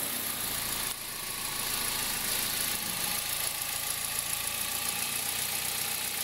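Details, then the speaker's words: 2003 Toyota Corolla, cold start, noise that stops once warm, heard with a stethoscope at the accessory belt: a thin, steady high-pitched bearing whir resonating through the engine, louder in reverse with the brake held. Worn belt tensioner bearing. "A gente colocou, quando a gente colocou, a gente percebeu que o barulho ficava muito forte na região aqui da correia de acessórios, porque o barulho dá ressonância no motor inteiro, dá até aqui no coletor, né?"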